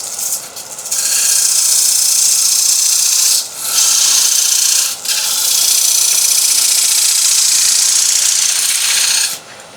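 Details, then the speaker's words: Woodturning lathe, thin parting tool parting off a sycamore inlay ring with stepped side-by-side cuts: loud hissing scrape sharpening into hacksaw-like rasp, tone change signaling the ring is almost cut through. "when we get close we're actually going to listen for the tone to change and you can hear like a hacksaw blade going through a piece of metal the noise changes and this is what I'm listening for"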